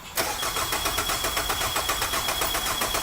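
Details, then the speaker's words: 2003 Nissan Altima, battery on charger after being dead, cranking during a battery cable volt drop test, meter from battery negative to alternator casing; steady even cranking about four compression beats a second, no slowing or clicking; about 298.7 mV, okay. "Have somebody crank it to test the surface charge. Go ahead, Rob."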